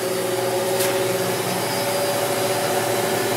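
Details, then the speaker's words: Maytag Neptune MAH5500BWW washer after replacing the motor and motor control board, running a tumble pattern: steady, even motor hum with no knocking or grinding. The drive motor turns the drum normally. "the uh flywheel back there is turning so that's a good sign that sounds like it's really r enough"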